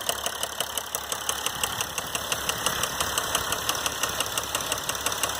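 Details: 2012 Mercedes GL350 diesel at 125k miles, steady idle: sharp evenly spaced knock about three per second; failed rod bearing, dealer proposed replacement engine.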